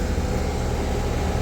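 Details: Ruud AC unit after replacing bad capacitor (lights dimmed on restart when warm): smooth even low hum, steady pitch, no knocking or rattle; compressor and fan running normally.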